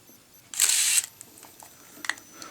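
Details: Contax 137 MD Quartz camera with motor winder: crisp shutter release followed by a half-second whirring wind-on that runs clean and even; healthy shutter and winder operation.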